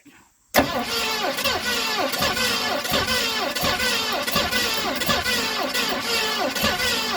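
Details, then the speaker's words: 1970 Mustang Mach 1 cranks steadily with even compression beats, about 1.5 per second, never firing. The loose distributor is being rotated back after no result one way, with carburetor bowls being filled and the spark and plug condition uncertain; cause unconfirmed. "Okay, so we gotta go back the other way because we ain't getting nothing out of it that way."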